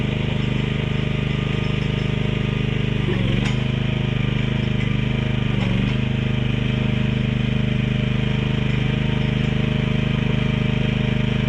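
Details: Mini excavator with pull start, repaired after being bought broken and then sitting about 3 weeks, oil and hydraulic fluid still to be checked; small engine at idle with a steady low drone and even beat, no knocking or hunting, running pretty good.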